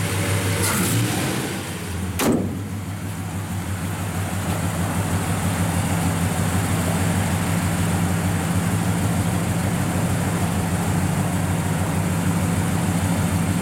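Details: 1967 Chevrolet C10 with a 327 V8, after a frame-off restoration, just fired up. Brief rev blip settles into a steady, even low rumble with no ticks or stumbles; runs perfect.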